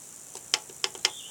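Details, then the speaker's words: VCR after a drop test, running with its cover off: three sharp light ticks about a third of a second apart as it tries to eject; mechanism straining against a jammed tape slot. "there's eject it's trying to eject it let's try and eject"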